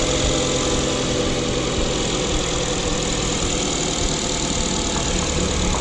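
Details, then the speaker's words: Mazda 2 idling after CorkSport short ram intake installation: steady, even idle settling smoothly from fast idle, no hissing, whistle or misfire; no air leak, engine normal. "okay so that sounds good there's no weird hissing nothing sounds like there's alley closing and she's come down from the fast-idle starting to neutral"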